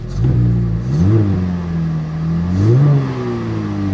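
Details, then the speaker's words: Pontiac G8 with cold air intake and non-stock exhaust, started on a chilly day: two quick revs climb cleanly and settle to a steady idle without rattle or stumble; healthy, with slight exhaust condensation. "It sounds healthy. It sounds healthy. A little bit of condensation from the exhaust, no big deal."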